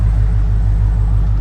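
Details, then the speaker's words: 2000 Chevrolet Silverado 2500 V8 with heads and cam upgrade, all motor, about 700 rpm idle: deep even rumble, steady beat, no misses, knocks or surging; normal calm idle. "nice calm idle every time so I just wanted to"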